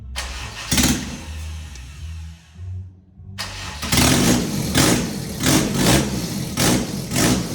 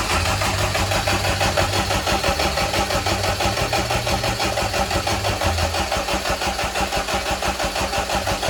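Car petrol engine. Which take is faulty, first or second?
first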